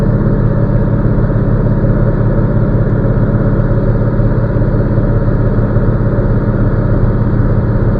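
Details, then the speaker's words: Truck diesel idling during an in-cab pre-trip inspection, air pressure above 60 psi. An even chuffing at about three beats a second as the air compressor pumps normally, governed between 120 and 140 psi. "My governor has my air compressor is governed out between 120 and 140, as you can hear from the noise in the background."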